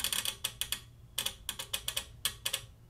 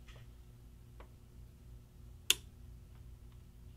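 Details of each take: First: CSI1802X bench power supply as output voltage is turned up: sharp, irregular relay clicks in quick bursts over a faint hum, voltage jumping, clicking stops at higher voltage; noisy relay, shorted capacitor suspected. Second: Bench power supply (CSI1802X) after fixing a shorted capacitor and fitting a capacitor and resistor across the noisy relay, voltage being adjusted: crisp, isolated relay clicks with no buzz or chatter; relay now switches normally.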